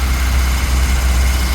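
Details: Ford Cortina P100 pickup, unrun since October, battery charged 4 days after reading 7 V: smooth, steady low idle with an even beat, no misses, knocks or hunting, restarted while checking fuel hoses for leaks; healthy idle.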